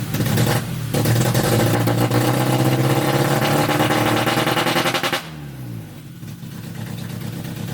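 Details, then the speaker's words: A Honda Civic EF with a K24 swap on a standalone ECU starts but flattens out and stumbles when throttle is applied, then sags back; won't rev, software shows ignition problems. "Tapi, seperti tidak ingin ditinggalkan oleh kita, mobil ini justru masih tidak mau digas."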